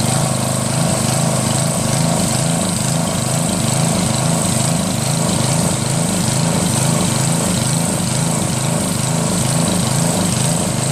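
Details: Northern Hydraulics pressure washer, Briggs 3.5 hp engine with primerless vacuum fuel reservoir, unused 8 years; after starter fluid start and fixing hose, wand and clogged rusted tip, engine runs steady with regular pump pulse; working normally.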